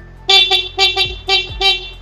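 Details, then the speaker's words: 2019 Yamaha R15 V3 with about 45,000 km, horn test: five short, loud, bright honks with a clear steady pitch and clean cutoffs; horn still works well. "juga masih berfungsi dengan baik untuk yang satu ini Yamaha R15 V3 tahun 2019"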